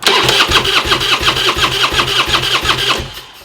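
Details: Harley bagger budget rebuild, first crank after adding fuel: the starter turns the twin over at about three strokes a second with little resistance and it never fires; cranking sounds weak, like no compression (suspected, not confirmed); weak cranking, no start.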